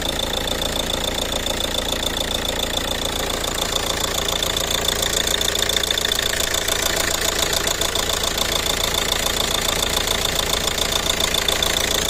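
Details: Ford Kuga engine at idle: steady idle with a crisp, even tick about three and a half times a second on top; engine knock or tick at idle needing tracing.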